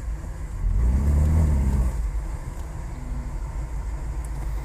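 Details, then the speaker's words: 1985 Cadillac DeVille 4.9 L with no power, rough idle and stalling: deep roar at wide-open throttle that never climbs in pitch and sags, rpm barely moving; MAP reading not changing, engine running rich. "see we can't even rev it look at our throttle position and hear how it's idling right now look at our rpm watch like 40 50. it's not even going anywhere"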